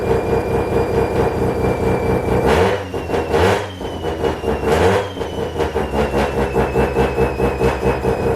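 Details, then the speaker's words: Mazda FD RX7 bridgeport rotary, Hypergear T51R single turbo conversion, first start: very loud, raspy idle with rapid pulsing crackle and a few sharp revs; massive exhaust leak at turbo exhaust housing, V-band clamp not seated properly. "So first of all, I'm going to quickly just take off the exhaust housing, because as you guys can see, we had a massive exhaust leak. That V-band is not sitting properly when I put it back on, so I'm going to just go over that, make sure that V-band is sitting properly, and then also let's check over the turbo."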